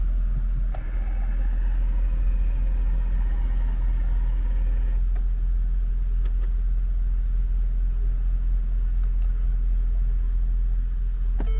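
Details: Ford with a no-start despite a new battery, restarted after throttle body cleaning and starter refit with battery cable reconnected: engine catches promptly and settles into a steady, even low rumble with no misses or knocks; normal start and idle.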